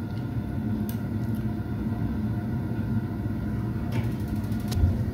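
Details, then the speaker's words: Ideal Mini HE24 boiler (made by Biasi), after the gas supply was turned back on: the fan runs, a couple of ignition clicks, then a low, soft, steady rumble as the burner lights and holds. The boiler fires normally. "there you go this little let go now turn it off because it'll overheat so it proves the boiler is working"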